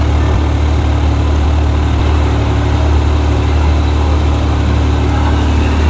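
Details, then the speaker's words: Yamaha YXZ1000R idling with fan override on after fitting a fan reverse relay kit, temperature about 168; constant rushing airflow over steady low idle, no rattles or scraping: normal fan operation. "that's fan override that's as cool as I wanted to get right now so I'll just to go back"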